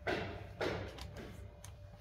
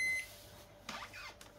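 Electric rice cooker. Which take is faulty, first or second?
second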